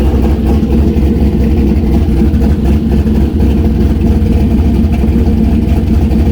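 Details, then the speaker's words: Turbo LS V8 Miata after exhaust heat wrapping and V-band joint realignment, not run too hot: deep steady V8 idle burble, even low rumble, no ticks, leaks or misses; normal healthy idle. "Not get it too hot because I still got other things I want to do, but it still sounds good. It's not bad."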